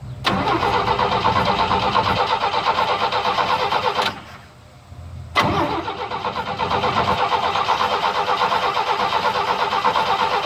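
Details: 1972 Chevy pickup unstarted for a long time since a tree fell on it, gas poured into carburetor: starter grinds steadily, brief pause, more cranking with uneven firing; slow, reluctant start after long storage.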